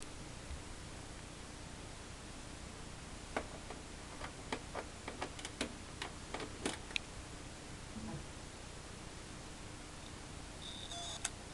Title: Toshiba HDD clicking noise